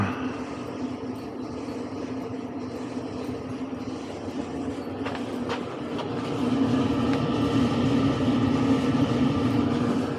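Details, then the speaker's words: Clothes dryer after replacing a worn drum roller that had caused loud clattering: a steady, even tumbling hum with a soft regular rhythm and no squeal or thump; it runs smoothly and quietly. "before we get too far along, let's test this rascal out. Quiet."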